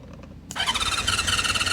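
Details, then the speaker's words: 1976 Honda CB550 chopper parked 48 years, plugs back in, carb cleaner sprayed in, no throttle fitted: starter whines with sluggish pulsing about eight beats a second; slow cranking on a weak battery. "Come on. I don't have much juice. Let's try a little bit more. I don't have much juice on this battery."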